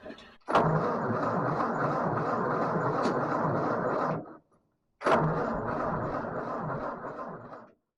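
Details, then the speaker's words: 1944 Ford 2N tractor after rebuild, carburetor not feeding right; two sluggish cranking bursts of about four and three seconds, never catches; owner suspects a starter switch burned from repeated starting. "guess we're not quite ready for that well we're darn close unfortunately close only counts in Horseshoes and Hand Grenades so I got some work to do on this carburetor it's it's not feeding quite right"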